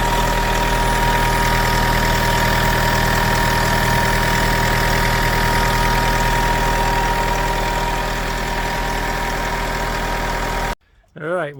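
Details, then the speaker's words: 17-year-old Mk3 Toyota RAV4 diesel at idle after a long 4–5-second crank (possibly one or more glow plugs): an even, regular clatter with no misses or hunting. Sounds healthy. "But anyway, it's a Toyota, it's running. The engine does sound sweet, like, sounds good."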